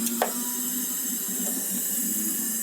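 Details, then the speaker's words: 1977 Datsun L28 inline-six, engine stopped, leak-down test on cylinder three showing 55% leakage: steady airy hiss heard strongly from the intake side, air escaping past a leaking intake valve. "Intake valve. I could tell intake valve because I can hear it out of the intake over there pretty strong."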